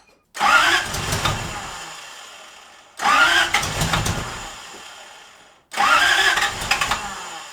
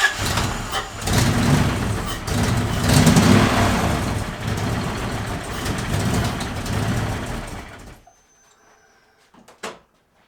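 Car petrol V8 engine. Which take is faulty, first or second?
first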